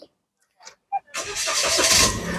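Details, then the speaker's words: 2021 Daihatsu Rocky 1.0 R turbo automatic, about 32,000 km, started by push button during a used-car check: brief crank catches at once into a steady idle without stumbling; a hesitant start would suggest a weak battery or starter motor; normal start. "Oke, pada saat kita nyalakan mobil, pastikan bahwa nyalanya itu jreng. Karena apa? Kalau dia nyalanya tersendat, berarti ada kemungkinan permasalahannya di engine di akinya sudah soak, jadi perlu diganti."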